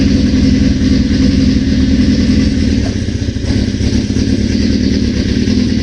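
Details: 1981 Suzuki GS650GL under rebuild, first start with new battery, fresh plugs, oil and pod filters: steady, even multi-cylinder burble on choke with no knocks or misses; owner suspects a small carb leak.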